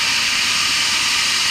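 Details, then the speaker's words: Fire sprinkler system pressure-reducing valve test with the fire pumps kicked in: steady, even rushing hiss with no pulsing or banging as water flows normally through the system. "We flowing water, Tom? I think so. I hear it up there."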